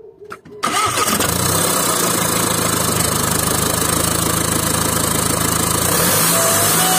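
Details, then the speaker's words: VW 2.0 TDI 140hp BKP diesel with turbo ringing, loss of power, no fault codes: starts and settles to a fast idle with a faint high ring; stuck turbo geometry suspected, cleaning failed, new turbo needed. "here it's very strange that we have that sound and I didn't have no chords but I have a loss of power so it could have been that this thing here is blocked or something like that I'm not sure"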